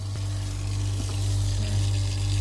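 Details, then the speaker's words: Oase drum filter pond pump, recorded in the filter house: loud steady hum with crackly hiss and irregular rattles. Owner believes the pump is sucking air in somewhere, seeing occasional bubbles; not yet fixed. "it's gonna be a bit noisy down here because i've worked out what the uh pump noise is it's somehow sucking air in from somewhere so i'm yet to fix that one"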